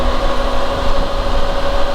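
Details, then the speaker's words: Motorcycle on Metzeler Tourance tyres with a few thousand miles, at 60 mph: steady thin whistle over heavy road and wind noise; rider unsure if caused by tyre wear. "really do make a whistling sound. There's a lot of road noise coming from them."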